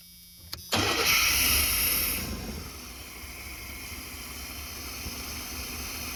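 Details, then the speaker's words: Chevy G20 conversion van with a freshened fuel system: catches after fuel is squirted down the throttle body, then settles into a hissy, slightly lumpy idle; running on only the left throttle-body injector, the other suspected stopped up. "The left side was started working. Started going. Yeah. Squirted some fuel down in the throat and it started working."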